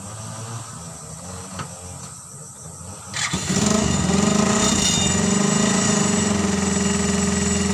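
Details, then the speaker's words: Suzuki Carry 1000 cut down to a pickup, running a Thunder 125 motorcycle engine for over a year and still used for work, warming up: it catches at three seconds into a smooth, even single-cylinder putter with no knocks, quieter and smoother than before. "Dan silakan dengarkan suaranya ee suara motor thunder yang saya rasa malah semakin halus lah suaranya. Enggak terlalu keras lagi."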